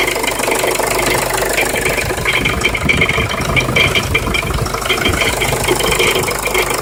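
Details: Jeep Liberty CRD diesel at idle: busy metallic rattle and scraping over the diesel clatter, fairly constant; the owner is trying to identify the rattle/grind noise, source unknown.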